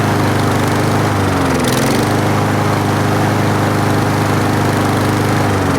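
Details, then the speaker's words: 4-stroke lawn mower running while Sea Foam Spray is sprayed into the carburetor intake, air filter off: buzzy engine sags in speed twice, near two and six seconds, choking on the solvent; bogging. "So I just drown out that engine."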